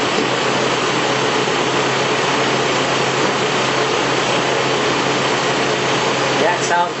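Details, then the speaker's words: 1997 Nissan pickup KA24E engine, cold start after sitting overnight, following timing chain slack adjustment for a 4-6 second startup rattle: steady, even idle with smooth low hum and no chain rattle. "so the truck is set overnight I'm going to do a cold start up and we'll listen for any startup rattler"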